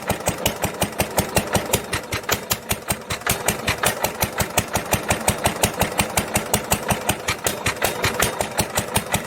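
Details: 1946 International LBBR McCormick-Deering 3-5 hp hopper-cooled single-cylinder engine from a hay press, running on its original muffler. Sharp, regular exhaust cracks come at about 167 a minute, a harsh, barky note, heard before a glasspack muffler is fitted.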